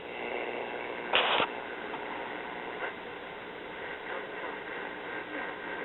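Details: GE model 671 AC/DC battery tube portable AM radio from about 1956–57, tuned to a weak distant station (possibly WWL): steady hiss with a faint station barely coming through. Normal AM reception on a working set.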